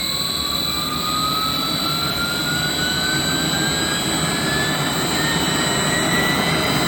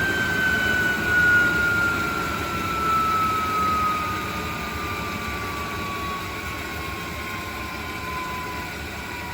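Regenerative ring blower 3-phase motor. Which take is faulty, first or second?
second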